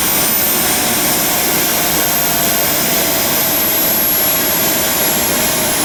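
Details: JetCat RC jet turbine after repair of starter clutch, worn bearings and deformed NGV causing blade rub: auto-start completes, steady high-pitched whoosh at idle, no surging, rubbing or rattles; idle exhaust temperature held under 500°C, healthy.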